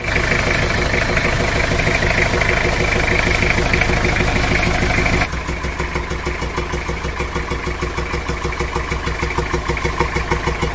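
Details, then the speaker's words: Diesel engine, sound at the air intake with filter opened: steady puffing "jes jes, bok bok" beat about three a second; intake valve leaking. "nah di situ kelihatan jelas ya bahwa mesin tersebut bersuara jes jes jes bok bok bok seperti itu"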